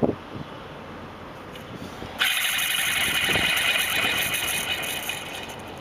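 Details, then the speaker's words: Detroit Series 60 515 hp truck engine: harsh, hissing scrape with a quick fluttering pulse as the belt rubs on the worn belt tensioner, which spins with the alternator and AC drive: worn belt tensioner bearing. "I do hear a massive sound a sound that scares me I think it should scare anyone because the whole belt is rubbing against this and this is spinning along the way with the alternator"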